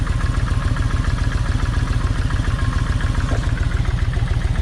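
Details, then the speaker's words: Kawasaki Vulcan 1600 V-twin idling with a heavy, lumpy, loping thump, as if one cylinder is missing. The left cylinder's plug stays wet and fires poorly. Swapping the plug wires changed nothing, so the owner suspects that side's plug wire. Unconfirmed. "even though I swapped the wires it's still doing the same thing so I got a feeling that that plug wire on that side is bad"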